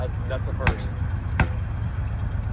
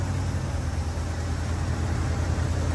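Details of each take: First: Rare RV engine backfiring on throttle lift-off: two sharp, loud cracks about three-quarters of a second apart over a low engine drone; the cause is unconfirmed. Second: Rare RV petrol engine after new batteries and a new starter, having earlier acted as if locked up, finally starts and runs: a steady, even low rumble with no misses, knocks or stumbles; sounds healthy.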